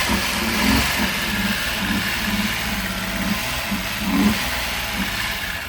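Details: VW Jetta Mk3 VR6 12V swapped engine, cranked with fuel pump held by hand, car creeping forward in gear: engine turns over slowly and unevenly with labored pulsing beat, smoking a lot; owner thinks motor is locked causing slow cranking.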